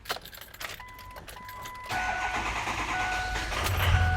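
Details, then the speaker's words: Ford F250 6.0 diesel cranks and catches into uneven, lumpy idle with knocking; cylinders 5 and 7 dead from faulty injectors, ECM overfiring cylinders 1 and 2 to compensate. Misfire from dead injectors. "all right so this is not looking good right now we got cylinder 1 and two right now are firing High cuz they're overcompensating the ECM is overcompensating for a dead cylinder in seven and a dead cylinder in five"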